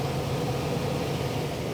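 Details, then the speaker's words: Residential gas furnace in Oklahoma, heat-mode call for noise complaint: steady even low hum with soft airy rush, no knocks, squeals or rubbing; blower running normally, nothing out of the ordinary found. "I came out here for a call for a noise complaint and I haven't noticed anything out of the ordinary everything seems to be running like it should everything ignited and fired off"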